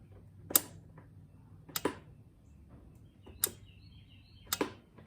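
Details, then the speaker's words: 2003 Craftsman GT5000 garden tractor that keeps running after key-off, sound taken under the carburetor bowl: four sharp clicks about a second apart as the key cycles; the fuel shutoff solenoid gets power and clicks, but may not be engaging fully. "Okay, so you can hear it clicking on and off. That's supposed to shut the fuel off to the carb, but when I shut mine off, this thing keeps on running."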